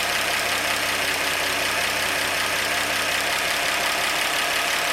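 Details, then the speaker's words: 1948 Chevy stovebolt six, first start in 32 years: steady, even idle with a constant hiss and no knock or miss, purring. Vacuum is a little low; carburetor or intake bolts are suspected. "i'm a little low on vacuum so i'll have to look around and recheck my bolts on my carburetor and my intake but man she's just purring away"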